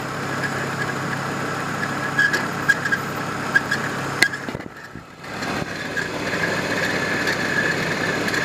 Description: Engine Squeak/Noise from 1993 Volvo 850 engine, most likely a bad pulley (idler or timing tensioner).